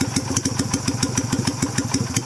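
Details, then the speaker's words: 2000 Yamaha Virago XV250, warmed up, carb with the new cut spring only: slow, lumpy idle with separate chuffs about six per second, barely keeping running; carburettor idle speed set too low and needing to be raised. "Right now it has just the new spring in it. So let's see what it does. The idle needs to be up a little bit."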